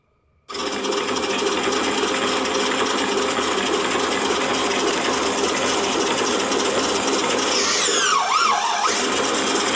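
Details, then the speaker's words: 3D-printed RC robot drive prototype with a small motor, single gear pair and a printed band steadying the motor bracket. Spins up to a steady, even whir with no knocking or grinding; runs smoothly, maybe faster than needed. "so I probably like the wheel going a bit slower doesn't need to be that quick I don't think"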